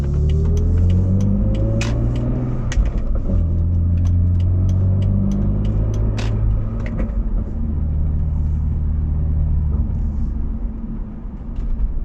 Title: BMW Z4 rear end humming noise at low speed acceleration /hátsó zaj alacsony sebességű gyorsításnál